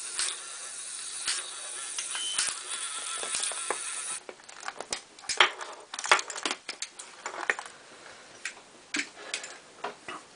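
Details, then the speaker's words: RC tractor gear motor under pull test on a luggage scale: a steady whir turns into irregular sharp plastic clicks after the motor reached about 3–4 kg pull. A broken gear tooth is slipping inside the gearbox. "okay so this one got to about3 or4 kilos before it shredded the gear in there so it's now clicking uh you might be able to hear it so we obviously broke a gear in here somewhere"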